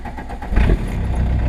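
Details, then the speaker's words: Turbo diesel car started without glow plugs: short crank, catches at once and drops into a deep, steady idle with no misses; turbo audible; running great. "um no glow plugs obviously so uh let's see this over here we're going it's running great"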